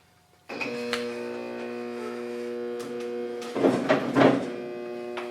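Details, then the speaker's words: Everclean pump from a 30-inch Covington lapidary slab saw, removed with mud and goop at the intake: a steady electrical hum with no spinning rotor; motor energised but stalled, something suspected trapped inside, not confirmed. "It's humming, but it's not spinning. So my guess is I've got something trapped inside"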